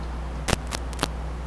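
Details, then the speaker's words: Phono stage audio system: irregular sharp crackles and pops over steady low mains hum from a broken interconnect or loose cable connection; crackle from loose connection. "and you know what crackling is that's that's not the best take I tried to make that that's a bad connection right that's a broken interconnect or a loose connection"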